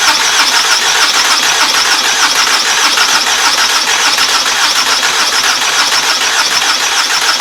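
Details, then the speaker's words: 2014 Toyota Camry SE bought at auction, new starter fitted, partly reassembled: fast even cranking around three turns a second goes on without catching; cranks no start, owner suspects throttle body, later fires on starting fluid, suggesting no fuel. "all right since the car is not cranking i think we just need to go to like start from the beginning check each little thing we need spark we need air we need exhaust and we need fuel"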